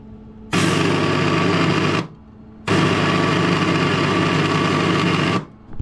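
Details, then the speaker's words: MIG welder during welding on a BMW adventure motorcycle build: two long trigger bursts of rough buzzing, gritty motor drone; wire feed fluctuates and spoils welds, owner suspects wire feed motor problem, not yet diagnosed. "We definitely have a problem which I could really do without right now. I don't know what it is. I think it's something to do with the wire feed. It don't sound good."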